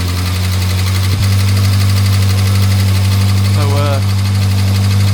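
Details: Morris Minor 1000 just started after a long break: loud low drone with an uneven, lumpy beat about three per second, running rough while cold and warming.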